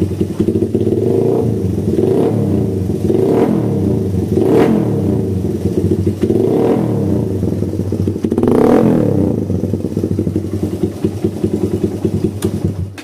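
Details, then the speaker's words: Suzuki Satria FU with a stock vacuum carburettor and an oversized exhaust: light ticking at idle, and on gentle and sharp throttle blips the engine bogs, stutters and feels empty, as the carburettor cannot keep up with the exhaust. "Kondisi awal ngericik tipis sama kalau digas pelan dia jeda-jeda ya, kosong deder. Kalau di spontan dia bisa der tapi kosong. Nah ini kalau kondisi kayak gini berarti knalpotnya dia terlalu besar ya, knalpotnya kebesaran, terus karbunya nggak ngatasi, karbunya standar pabrik, karbu vakum."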